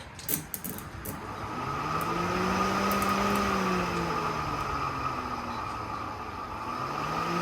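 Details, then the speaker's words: BMW electric radiator fan on an LS-swapped BMW E46 during custom cooling setup: smooth motor whir swelling and easing as it spins up, no rubbing or ticking; first wiring blew instead of pulling, retried; fan works properly. "Okay, so it blows. Interesting. Thought it would pull, so push. Try it again."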